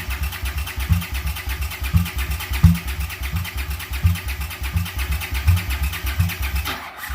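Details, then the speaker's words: Honda GL650 cafe racer with freshly cleaned carbs. It cranks steadily at about 85 puffs a minute with the carbs huffing but never catches. A float bowl whose gasket was trimmed leaks badly, blowing fuel out; carb rebuild kits are planned. "I mean, it sounds like it wants to fire up, but those floats, just the one that I trimmed the O-ring or the gasket on, is leaking like a sieve."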